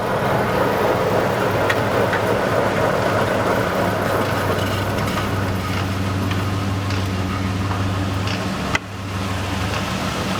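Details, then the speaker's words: 2004 Ford Explorer AWD on a lift, right rear wheel driven with the left braked: steady low drivetrain hum, no growl or grinding, confirming the noisy bearing is the left rear. "no noise at all from the other side so this in my mind definitively proves this left rear wheel bearing is our culprit"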